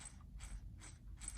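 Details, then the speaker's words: RC4WD Gelande II D90 transfer case, gears dry before re-greasing, turned by hand: soft, even ticking with no binding or judder; turns with almost no effort, meshing smoothly. "this is how it runs now this is obviously in a dry form so you can hear it and when I put the cover back on when you turn it you can turn it with almost no effort"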